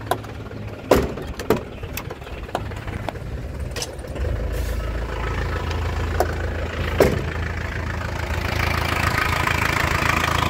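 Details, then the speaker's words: Isuzu Panther LS Silver 2000 manual diesel, started then revved: cranks and catches, settles into a steady, even, crisp idle with no misses or stumbling and no smoke; engine healthy. "tarikannya Enak suaranya juga enak renyah khas penter ya mesinnya juga anteng stabil tidak ginjal tidak pincang"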